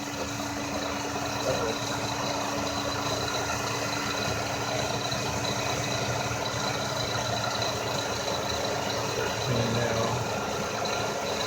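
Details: 2000 Lexus RX300 at idle: steady electrical frequency-type whine holding one pitch from the alternator, whose windings were found burned from heat; owner plans belt-off test to confirm.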